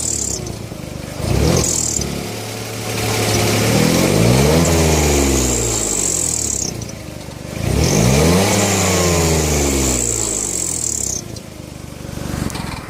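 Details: BMW E46 with M54 engine at idle: thin high squeal that drops away as the engine is blipped twice and returns at idle, from a leaking exhaust manifold gasket.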